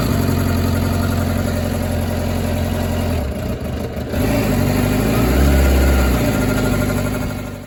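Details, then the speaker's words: 2006 Suzuki GSX600F K6 after carb service for lost idle mid-ride, engine warm: even, steady four-cylinder idle, a quick throttle blip, revs settle smoothly with no hunting or misfire; runs okay. "So the engine is warm up already. She runs okay."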